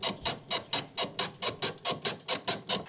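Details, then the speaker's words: VW Caddy gear linkage under airbox, worked by hand after WD40 on pivot points: sharp, high-pitched rapid creaks from stiff shift cable inside its boot. "After spraying WD40 over all of the pivot points, it's moving a bit more, but it's making this horrid noise. So, I guess more lube."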